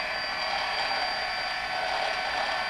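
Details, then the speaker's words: DJI Phantom brushless motor, before oiling: steady high whine with a gritty, rasping grinding spin, possibly dry bearings; owner plans to apply high speed brushless motor oil to the top bearings. "that sound little grinding grinding sound"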